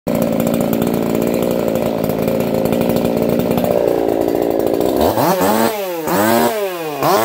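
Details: Echo CS4910 chainsaw with experimental taper-top piston/crank swap, 6° advance, running a little warm, compression about 180 psi cold, 170 warm; high revs bog and recover through cuts, clean pickup, no popping, healthy.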